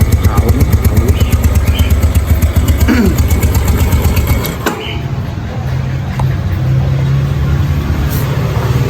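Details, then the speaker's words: Aging Yamaha Nouvo Sporty automatic scooter, not yet roadworthy: a quick, uneven putter fades and dies away leaving a faint low rumble; engine stalls, owner says it needs servicing again. "Ya mati yus lah, perlu diservis lagi."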